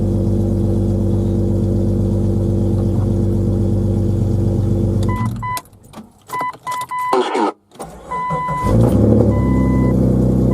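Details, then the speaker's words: 2000 Jeep Cherokee XJ Sport 4.0 I6 after coolant temperature sensor replacement: it cranks better and idles with an even low rumble; before, it fired once then died, or idled very low and stumbled. "it's cracking better cranking better than it was what I was doing it was crank when it went out this time it didn't it wasn't flooding the engine out"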